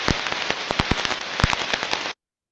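Loud, irregular crackling pops like firecrackers over a hiss, typical of a badly damaged rolling bearing.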